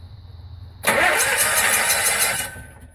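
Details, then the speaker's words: Kohler Confidant 4CKM RV generator with failed magnetic pickup speed sensor: starter spins about 1.5 seconds without catching because the electronic governor fully closes the throttle while cranking; crank no start. "immediately fully shuts off there so of course it's not going to start when that happens"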